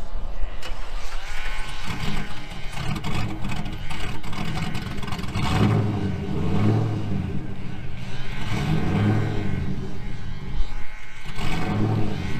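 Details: 2000 GMC Sierra 5.3 V8 with Texas Speed Stage 3 truck cam (.550/.550, 216/220, 112 LSA) on factory tune: low rumble keeps sagging, surges with throttle bursts to stay alive; stalls in gear unless revved. Owner's own tune fixes it.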